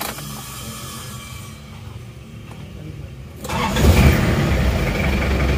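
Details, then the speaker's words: Isuzu Panther 2.3 diesel, 7 years after liner rebuild, healthy cold start after injection pump service: short crank, catches at once into steady even idle; even in the morning it starts on key with little warm-up, minimal smoke. "tetap enak jadi setelah service bospom itu startnya langsung enak cegereng-ceng itu jadi bahkan kalau pagi itu panasnya nggak lama cukup kontak langsung hidup"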